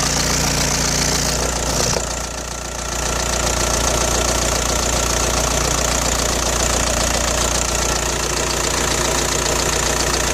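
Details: Audi A4 B6 1.9 TDI AWX diesel at idle: harsh rapid metallic rattle began after replacing injector o-rings and copper washers; cold-start smoke now gone but power seems reduced.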